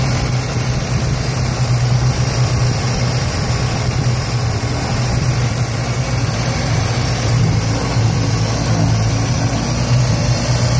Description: '76 Datsun B210, 1.4L... rough idling and dying at every stop.